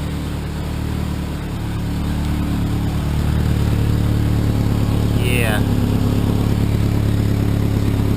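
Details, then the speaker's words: Cheap Ford Ranger four-cylinder at idle, exhaust broken and leaking everywhere: loud, deep chuffing idle that puffs like a diesel truck; old exhaust to be replaced. "oh yeah this puppy is loud sounds like a diesel truck"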